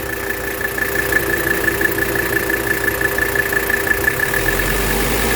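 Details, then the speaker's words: 1984 Mercedes 300D diesel at idle during a blow-by check that shows zero blow-by. Steady, even diesel clatter with a constant faint overhead whine (the auxiliary fan was running), no misses or knocks. Healthy engine, normal idle. "zero Blow by very very healthy engine great just got my fingerprints on there there you go anyway guys that's really it"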